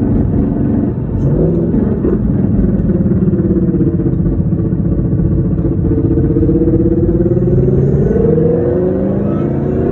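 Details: 2014 Whipple-supercharged Ford Mustang, MT82 Getrag 6-speed manual, 37,000 miles, Barton short-throw shifter: loud, constant whine rising and falling with road speed on decel and acceleration, silent with clutch in, no grind or vibration; failing transmission.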